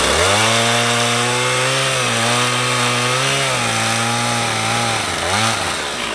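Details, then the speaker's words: Stihl 044 Magnum chainsaw with 20-inch Oregon bar, revived after sitting for years, freshly sharpened chain, cutting small wood: crisp high two-stroke wail holding steady, dipping briefly and recovering as it bites; runs strong and healthy. "I'm super psyched about this saw. This thing rips."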